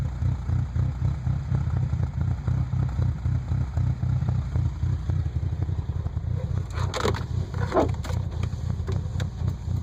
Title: 98 Frontier rough idle